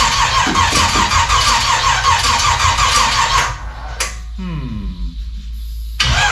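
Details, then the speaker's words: 1956 gasser with new 750 Holley carb, first start attempt, no coolant added yet: steady cranking near three beats per second that never fires. No-start from distributor installed 180 degrees out of time. "we're off there somewhere in the ignition Department 180 out oh well I always do that yeah distributor was 180 out"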